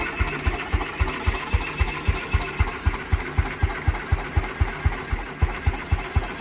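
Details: 1949 Ransomes MG5 crawler tractor at first start after fixing a magneto fitted 180 degrees out of phase and adding new fuel: steady, even thumping about four beats a second over a low rumble; runs smoothly.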